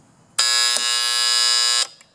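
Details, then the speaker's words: Septic control panel alarm sounding a loud continuous buzz for over a second when powered; stops when float switch disconnected, so short in float switch rather than wiring; alarm triggered by shorted float switch. "so either there's a short in the wire between here and the float or there's a short in the float switch so when I turn this on the alarm comes"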